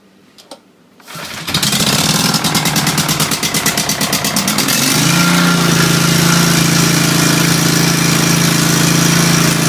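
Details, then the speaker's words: Engine on fresh oil, new filter and new plugs, carb cleaned a few weeks earlier, first restart and nearly out of fuel: it cranks, catches after a second and settles into a smooth, even idle with no misses or knocks. Normal running. "like I said she runs pretty damn good runs smooth"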